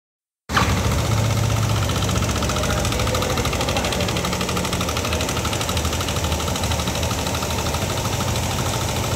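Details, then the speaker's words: Old Yamaha NMAX scooter idling with a rough, fast metallic rattle; engine opened for diagnosis, noise traced to a loose, badly worn rocker arm roller bearing, so re-adjusting valve clearance would not last; temporary repair. "muncul suara kasar ya satu masalah sudah berhasil kita temukan ya untuk bunyi kasar itu dari lokal roller rocker arm yang [Musik] udah kocak ya"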